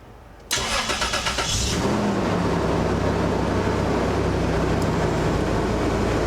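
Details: 1999 Toyota 4Runner, 3.4L V6, first start after replacing spark plug wires with OEM set: starter whirs about a second, engine catches cleanly and settles into a steady even idle with no misses; normal.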